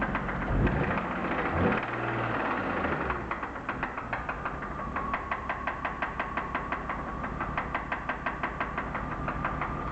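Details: BMW E36 323i, M52B25 six, 140,000 km, idling: sharp regular tapping knock about three per second persists with each ignition coil plug pulled in turn (sixth here); owner doubts suspected connecting-rod bearing damage.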